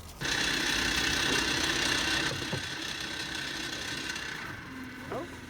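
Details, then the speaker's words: Auxiliary fuel transfer pump on a toy hauler's fuel station, after repair: gear trimmed so it turns freely, resealed, switch bypassed, suction line upgraded to 1/2 inch with inline filter; steady electric buzz with even pulse, pumping strongly with no binding. "promising oh wow that's pumping pretty dang good look at that cool"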